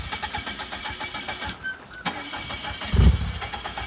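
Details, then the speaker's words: Newly bought 2.4 L turbo PT Cruiser with AutoStick, only a quarter cup of gas, being unloaded from a trailer: repeated uneven cranking bursts with pauses and a short surge that never catches; crank no start, out of fuel. "well we thought that was gonna be a lot more exciting but apparently we ran out of gas there was only like you know enough to get it on the trailer and not off the truck"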